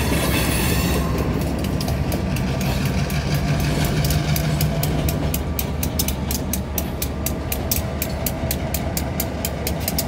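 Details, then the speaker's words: Cincinnati Eastern Railroad diesel locomotive 3512 pulling a rock train out of the Cohen Recycling siding onto the main in Macon, Ohio, 64 degrees: crisp ticks about twice a second over heavy diesel rumble, air blowing moisture out of the air lines, normal. "Ticking sound is from blowing moisture out of the airlines. Prevents damage from moisture."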